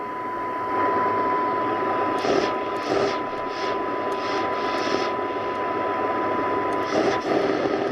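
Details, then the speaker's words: Nordmende Transita Deluxe radio on shortwave fed a 6 MHz, 100 microvolt signal-generator tone: thin test tone under loud hiss and crackle, received off frequency and weak; owner suspects AM section, maybe an old capacitor, not a transistor. "is it's off frequency but [Music] um it's off frequency in pretty weak right so we know it works on all bands"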